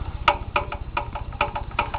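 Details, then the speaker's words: Small engine warmed up, idling: sharp regular knock about three times a second over low rumble; camshaft has side-to-side end play and angled gears make it clunk; connecting rod has no play, not cylinder knock. "so yeah there you go yeah you can hear it there it's not cylinder knock cuz I"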